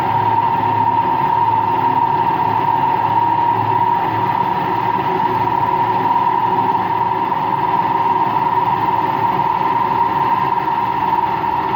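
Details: Washing machine on an empty rinse-and-spin cycle: loud, steady roar with a sharp whining tone at high speed; owner suspects both motor and drum bearings are worn, no leak seen.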